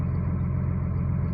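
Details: Cummins diesel at idle after reassembly following a small-end bushing knock repair: steady, even low rumble with no knocking or ticking; the knock is gone.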